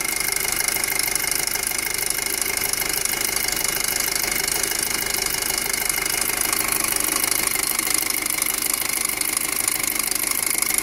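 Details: 2007 Passat 2.0T at idle: loud, hissy, fast ticking clatter riding over the engine, steady throughout; loud engine noise, source not pinned down.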